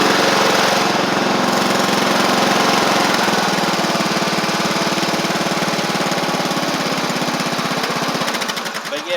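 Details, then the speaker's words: Sabre riding mower single-cylinder engine after drive belt and blade work, heavy caked oil under the exhaust burning off; steady, even beat about four pulses a second, running properly. "regardless y'all see that it's running fine otherwise so uh just a ton of oil that needs to burn off"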